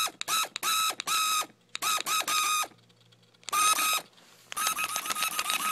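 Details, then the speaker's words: $5 RC car after off-road use, motor taken out, then revved at full throttle: short bursts of high buzzing with gritty ratcheting chatter on each throttle blip; owner thinks it's broken, gear or motor damage unclear. "And I was like messing, like I was revving it like full throttle, and now it sounds like this. It's not supposed to sound like"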